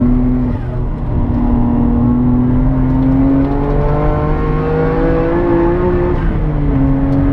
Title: R33 GTR - Misfire from blown head gasket